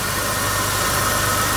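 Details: 2001 Buick LeSabre derby car, smoking from leaking valve cover gaskets: steady, even idle with a smooth low pulse and no knocks or misses; normal idle, engine runs strong.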